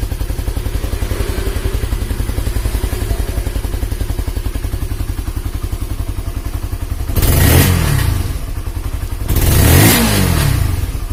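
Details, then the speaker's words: Honda CB150R after head compression leak repair and engine rebuild: even, steady single-cylinder idle at about 220 pulses a minute with two clean throttle blips and no knocks or rattles; engine runs smoothly. "oke Alhamdulillah sudah halus untuk suara mesin"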